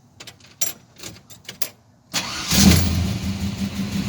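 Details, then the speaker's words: Chevrolet C10 truck after an exhaust shop repaired it: a few light clicks, then it cranks and settles into a smooth, steady, low idle with an even, quiet exhaust note; the previous broken-exhaust sound is gone. "ven ya no se escucha el el el rompido ya armado mucho más suave"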